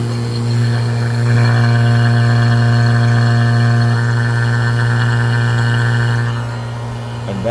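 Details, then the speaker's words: Fieldpiece BP67 vacuum pump on an AC system, valve opened to simulate a micro-fine leak at the compressor shaft seal: steady drone with low pulsing hum shifting in tone as air bleeds in; load change from small leak. "I'm going to open it up again I'm going to represent a little micro fine leak in the shaft sealed very seat compressor right now hear the difference"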